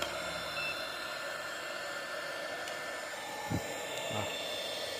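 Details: 300W modified sine wave inverter card powering a 300W heat gun: quiet, steady airy hiss with a faint thin hum and no cutting out. It carries the load fine but measures only about 200-plus watts, not the full 300.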